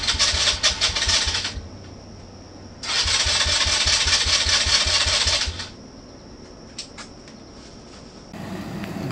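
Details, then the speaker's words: 2018 Polaris Phoenix 200 ATV, bought new, after sitting and being loaded and shaken: two long cranking bursts with a steady starter beat never fire; hard starting. "here's a video after I loaded it up and and shook it around a little bit they want to sounds like it wants to start just keeps on stalling out"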